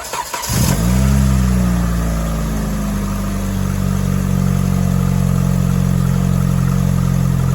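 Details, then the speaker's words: 1996-01 Hyundai 1.8/2.0 engine after a throttle body mod and reassembly: quick start, a brief rev flare, then a smooth even low idle with no lifter tick or misses; normal start and idle. "sounds good yes it does I would just let this uh bleed like I said if yours happens to tick or anything if you took a couple weeks or months like I have they may come down and you'll have that lifter tick but might be a little bit but I don't hear anything in there"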